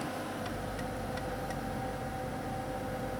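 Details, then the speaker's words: 2001 Ford Taurus, turn signal on: the flasher relay under the steering wheel ticks a few times at about three per second, then stops with the signal still on, intermittently. Failing turn signal flasher relay. "Okay, the bubble's working fine, but when I turn my turn signal on, it comes on a few times and then it turns off."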